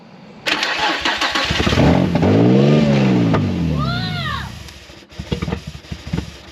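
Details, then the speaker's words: Nissan 350Z with a swapped VQ35DE, first crank with clutch pressed, no coolant, no power steering and no intake fitted: fires, revs roughly, then sags and dies after a few seconds. It won't stay running without the intake. "Well, we gotta put an intake on here. That's why it ain't gonna stay running, but It sounds like that."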